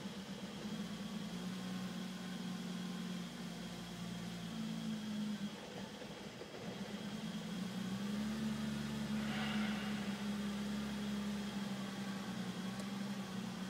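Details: BMW E34 M5 idle hunting and wavering, hum rising and sagging with an uneven loping beat; rough idle, cause not determined.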